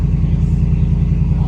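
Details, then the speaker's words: 2014 Ford F-150 at dealership just after cold start: loud, lumpy low rumble with uneven, shaky beat, later evening out; rough running, cause not pinned down, buyer suspects aftermarket exhaust. "let me see if it's a cold start this one kind of loud it is a cold start and it seemed kind of damn"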